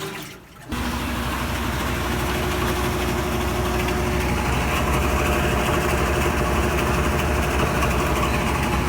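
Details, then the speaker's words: Hotpoint top-load washer after drive belt replacement, full test cycle with test clothes: drum comes up to a steady, even spinning hum with low churning rumble, no knocks or slipping; normal spin, repair appears successful. "And it's spinning, so I think we'll probably fix this one."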